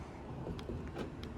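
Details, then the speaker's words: 2013 Toyota Highlander 3.5L V6 with main body ECU controlled locks; both front doors had failed to lock or unlock. After the repair, sharp clicks as the door lock actuator unlocks, then the door opens; the locks work normally. "I did hear the door unlock let's see if this thing thing opens there we have it guys door locks are working"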